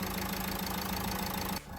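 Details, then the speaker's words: Renault Duster diesel at the first start of the morning after an injector washer was replaced to cure long cranking and misfire: even idle with a regular clatter, no stumbling or misses; running normally after the repair. "अब देखिए आपके सामने गाड़ी सही है और यहीं से धुआ फेंक रहा है।"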